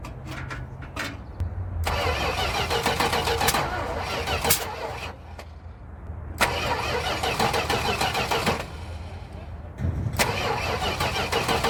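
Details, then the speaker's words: Junkyard 1973 Chrysler Newport 400 cu in V8 cranked after parts fitted and a backfire, firing order in doubt; three long cranking bursts with steady whirring and a few pops but never catches, cause not yet diagnosed. "all right guys it's coming to closing time and so I'm going to wrap it up call it a bit of a day because we did not get it running today"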